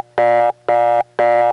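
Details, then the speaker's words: 1979 Raleigh NC reorder tone from the same tone plant, heard through step-by-step switching equipment, which colors its sound. Three equal buzzy bursts, about two a second, evenly on and off. Normal reorder signal. "here's that very same reorder coming from the very same tone plant in the step context so each of those are coming from the same tone source but the step makes it sound like this"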